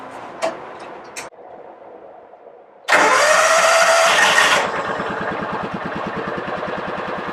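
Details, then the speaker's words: 2000 John Deere 4X2 Gator, first crank after ignition coil replacement, partly reassembled, months of no-run issues: short crank, then it catches and settles into an even, steady idle with no misfire. Normal start and idle, not yet warmed up. "well that's a good sign for today that's the first time it's recranked it had not run very long to warm up"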